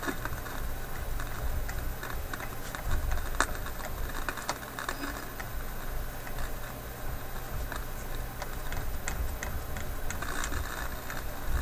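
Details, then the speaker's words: Philips 922 vacuum tube radio, cold restart on current-limited supply after hours off: low hiss and hum with irregular sharp crackles and pops returning while tuning; cause unconfirmed, owner suspects IF capacitors failing. "ah now that crackling seems to be there"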